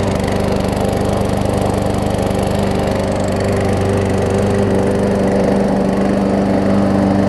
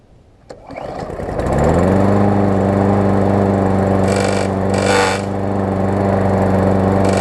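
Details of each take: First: Murray push mower, Briggs & Stratton 450 series, transit-damaged and repaired, deck bent back, warm start: even steady drone, no knocking or blade hitting the deck; normal running. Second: New Murray push mower crushed in its box (deck twisted, block cracked), started with starter fluid after repairs: the engine settles into a steady run with intermittent raspy scraping as the blade hits the bent deck.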